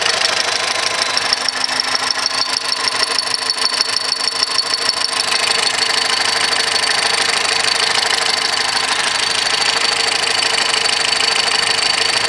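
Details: 2010 VW Golf 1.6 at idle: fast even high-pitched ticking chatter about three per second from the accessory belt drive; noise disappears with poly-V belt removed despite replacing water pump, alternator bearing, timing belt, tensioner, cause unclear.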